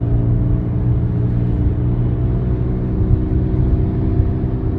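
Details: 2023 Tesla Model Y Dual Motor AWD, about 78,000 km, steady low rumble and scratching hum from front wheel growing louder with acceleration and speed; worn front hub assembly, fixed by replacing hub, bolts and nut.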